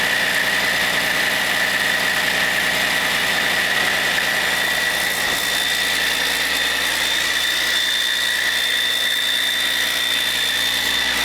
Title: Caterpillar C13 first run after overhaul - Once upon a time in WIHURI CAT